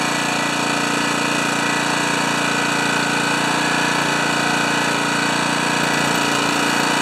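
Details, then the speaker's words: Honda HRA214 mower after carburetor choke work and main jet re-jetting, tachometer on: small single-cylinder engine holds a steady even buzz with no surging; runs normally. "These run fast, and they run between 35 and 3600 RPM."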